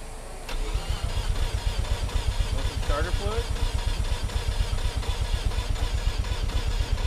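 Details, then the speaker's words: Mazda FC RX-7 rotary with rusty fuel tank, prior fuel pump failure, sputtering: long uneven cranking before it barely catches and stumbles; fuel smell, owner suspects reversed fuel lines and doubts battery charge; hard start. "it smells like fuel don't it huh wonder my battery's got enough charge on it"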